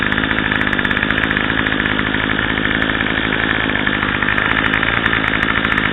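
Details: Craftsman/MTD 25cc two-stroke curved-shaft string trimmer (2014 model) just after carburetor replacement with new Walbro 753-06190 carb and mounting gasket, primed and started on choke: steady high-speed buzz, crisp even firing, no stumbling; running properly.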